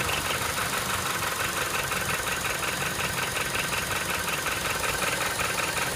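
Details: Honda Step WGN K20A engine: fast, steady metallic rattle of about three beats a second over the idle; something inside the engine is rattling, cause not yet found.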